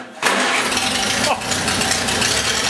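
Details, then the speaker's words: 1948 Farmall Cub, 6V system on a 12V battery, cold start at about 30°F: catches instantly and settles into a smooth, even idle; healthy cold start. "really sounds good. Yeah, I like that full bowl. Boy, doesn't that start good, huh?"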